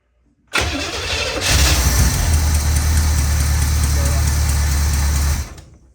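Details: 1984 Corvette 350 after swap from Crossfire fuel injection to Edelbrock carburetor and intake: steady starter churning about five seconds, roughly four pulses a second, never catching; cranks but won't fire.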